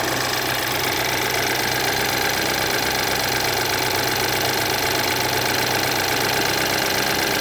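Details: BMW F10 with N20 engine at idle after timing chain replacement: busy metallic clatter about four times a second over the engine note, timing chain noise persisting; cause unconfirmed.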